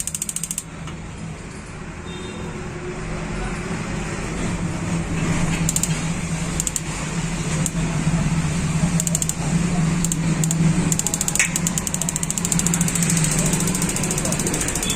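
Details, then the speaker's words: 6-litre gas geyser that would not start, with the switch's two points shorted by screwdriver: sharp rapid igniter ticking in bursts over a hum, plus a tick from the gas coil. The circuit works, so the fault is the sensor. "जब इसकी हमार lighter की चर चर की आवाज आती है तो बीच में टक की आवाज आती है"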